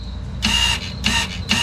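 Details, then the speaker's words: 2017 Lexus RX 350 F-Sport rear electric parking brake motor, driven by a 12V source through alligator clips during a pad change: three short buzzing bursts, each stopping abruptly as the motor deadlocks with the piston fully retracted. Normal. "that's when you know you hear the motor it Deadlocks you're done that parking braik is the whole way back"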